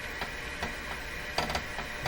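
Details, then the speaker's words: Loewe Opta Bella Luxus 5711W AM/FM/SW receiver on FM, volume up with hiss audible: irregular dry clicks, small pops and gear-like crunching as the tuning knob turns, but no tuning action; dial string off its pulley. "now i don't think we can turn it no tuning action at all"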